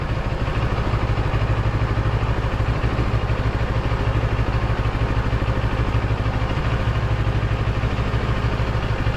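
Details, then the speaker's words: Motorcycle idling with TFT dash cowl bracket screws backed off after adding silicone: steady even idle, no buzz or rattle from the dash; noise returns when the screws are tightened. "once you leave it it just back off the screws a bit um no noise so uh what to do no noise at all"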